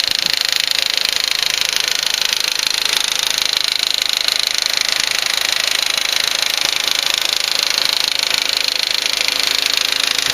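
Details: 2004 Volkswagen Passat 1.8T GLS engine running with a sharp, even light tick about three times a second from the rear of the engine; intermittent, louder at startup; owner suspects a lifter, unconfirmed.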